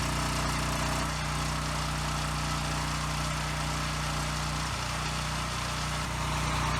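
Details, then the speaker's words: Husky generator that sat 5 years on bad fuel, first run after carburetor cleaning with the airbox refitted: steady hum with a slight dip and recovery in speed, mild no-load surge typical of these units; still needs air filter, a spring and tank grommet. "It does have a slight surge at no load, which is pretty typical with these, so I'm not going to worry too much about that."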